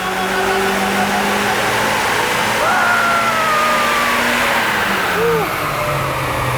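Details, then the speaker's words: Turbocharged Mazda MX-5 on dyno, earlier clutch slipping at 10 psi boost: thin wavering squeals come and go over steady engine as belts slip after a radiator hose popped off spraying coolant on them and the floor; belt squeak. "Nick then fixes a radiator hose that pinged off causing the belts to squeak and fluid to drop all over the floor"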